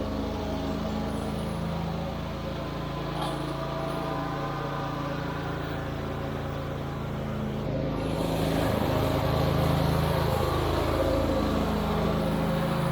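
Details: Wright Stander stand-up mower that wouldn't stay running, after carburetor replacement (tank grommet leaking fuel): steady even drone then raises speed cleanly without hunting or surging; normal running.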